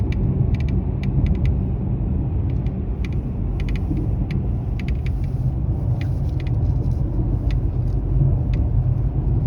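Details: Mercedes E-Class W213 under warranty, driving: sharp, irregular crackling ticks, a couple a second, from the dashboard over road rumble; intermittent, and the dealer failed to find the cause after about eight visits.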